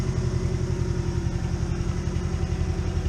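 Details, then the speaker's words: 1992 Mazda B2200 pickup with a recently rebuilt engine, running, clearly needing an exhaust: loud, throbbing idle with rough low pulses about four per second, like a leak ahead of the muffler. Exhaust leak. "nice little pretty nice little truck that's running around it needs an exhaust as you can hear"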